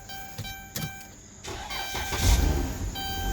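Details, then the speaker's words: Van towed in as a no-start with a new starter already fitted: brief cranking catches into a steady, even idle once the fuel pump circuit is fed 12 volts; the diagnosis is an internal TIPM fault, and the engine now starts and runs normally. "bingo y'all hear that the van is running"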